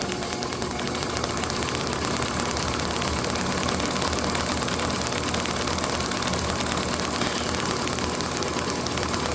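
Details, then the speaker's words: International H4 magneto from a parts Farmall MD, overhauled for a TD-6 crawler, spun slowly with the impulse coupling starting to tick back in: crisp, even ticks about three a second, no misses; normal low-speed firing. "You can hear the impulse starting to kind of tick back in there. It's just about ready to start engaging."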